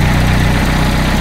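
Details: Peugeot 205 rally car, first start after a 4-month rebuild with a 206/306/Saxo flywheel and new clutch; ignition timing only roughly set, firing order 1-3-4-2 retried. It catches into a low, lumpy, uneven idle: rough idle.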